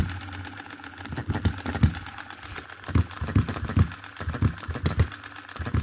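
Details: 2022 Enjomor Chinese hit-and-miss engine after fixes (spare piston ring, corrected valve timing, leaded governor weights, added spring for quicker latching): irregular bursts of sharp firing beats between quiet coasting stretches, slow speed; normal running.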